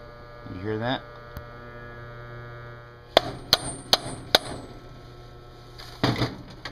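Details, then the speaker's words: Garbage disposal deliberately run to burn out, smoking, bearings heated with torch; motor hum rises then holds while sharp irregular knocks break through, chunks missing from the rotor: damaged motor rotor. "there's chunks missing out of the rotor suppose that's to be expected"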